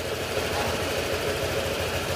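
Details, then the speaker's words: Honda Click 125 scooter after bottom-end overhaul with new crankshaft, for knocking caused by neglected oil: single-cylinder engine ticks over evenly with no knock or rattle; quiet, healthy idle, ready for release. "Ayan, okay na to. Tahimik na. Pwede na itong ma-claim."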